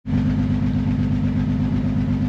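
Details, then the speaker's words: 2009 Honda Odyssey at idle with an oil leak: lumpy, uneven low pulse with a regular stumble; severe cylinder misfire on scan, low compression feared; fixed with the oil leak repair and new spark plugs. "estoy escaneando ahora mismo tiene un misfire grave"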